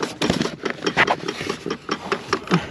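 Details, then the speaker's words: Blend door actuator found behind the dash with the trim removed, the hard-to-reach one identified as the clicker: quick, uneven light plastic clicks, several per second, over a quiet background; failing actuator skipping teeth. "oh it's definitely this one yep cool all right you can see this guy right here I'm pointing to that's that's our clicker of course the Hard One to get to"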